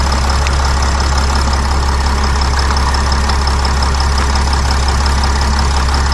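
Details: Sprinter van 3.0L diesel, after engine oil cooler replacement, no leaks found underneath: steady even idle with smooth low rumble, no knocks or ticks; check engine light cleared itself, engine healthy.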